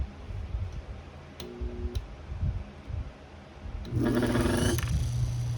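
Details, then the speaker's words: Antique Delco repulsion-start motor after repair, on a variac, armature with some end play. Steady low hum with a strained buzzing whine and no run-up: the brush assembly sits dead centre, so the motor cannot choose a direction. "That's what happens when the brush assembly is right in the center, so it can't choose left or right. Which you can hear it doesn't really like that, so."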